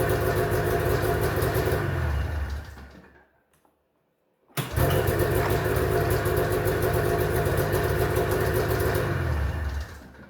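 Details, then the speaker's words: 1991 Arctic Cat Prowler 440 two-stroke snowmobile after four years' storage: it runs steadily only while the faulty throttle safety switch is held closed, cuts out when released, then restarts and runs smoothly. Normal running. "runs really good when uh it's held in but just dies right away when this is back so this is really strange"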